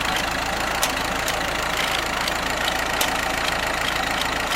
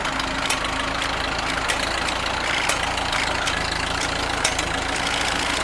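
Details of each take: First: Ford tractor engine with aftermarket carburetor running slightly lean, choke held out a little, charging fine: even, steady, smooth idle with regular light patter and no knocks or misses; occasional exhaust popping noted. Normal idle. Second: Ford tractor with aftermarket carburetor running slightly lean despite screw adjustment, choke held slightly out: steady idle broken by sharp, irregular exhaust pops about once a second.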